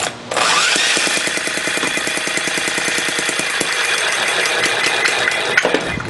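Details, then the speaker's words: Homebuilt model six-cycle engine running under drill start: rapid popping, fairly regular then stumbling and uneven under the drill whine; runs rough, owner suspects the needle setting or late ignition timing and plans to advance the spark. "not sure it's I think it's the needle is messing up now I [Music] Sall almost sounds like it's firing a little too late"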